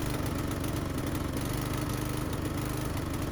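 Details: Discarded Mountfield Briggs & Stratton lawnmower after repair, primer pumped before starting: steady even single-cylinder putter with a constant low drone, no misses or surging; running normally, may still need fine tuning.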